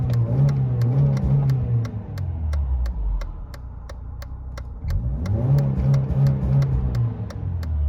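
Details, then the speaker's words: 1993 Mercedes 220CE W124, M111 2.2 engine, after new throttle body and coil harness wiring, warmed up on old fuel: two clean blips back to steady idle, no stumble or hesitation. Smooth revving. "seems to be all right so fingers crossed this is finally on part six rough running sorted"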